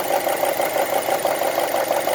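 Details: 2002 Honda CR-V on 10W40 oil at idle: fast even ticking, roughly ten taps a second, over smooth idle; top-end tick, likely valvetrain, cause unknown.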